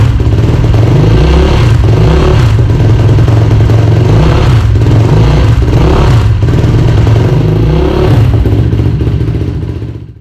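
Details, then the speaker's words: Yamaha YFZ450R cross-country race quad, first start after rebuild with 10W-30 break-in oil: loud single revving crisply through throttle blips, brief smoke burning off residual oil; no knocks or ticks, runs as good as before teardown. "okay guys well there you have it she runs and she runs good so it sounds just as good as when I took it apart which is sweet"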